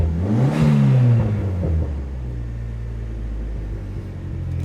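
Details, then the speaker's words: Copart salvage car, about 104k miles, first start after sitting: revs blip up then hang at a raised steady drone instead of returning to idle; suspected throttle position sensor, otherwise sounds healthy. "up in the RPMs probably a TP the auto positioning sensor but other than that sounds healthy enough"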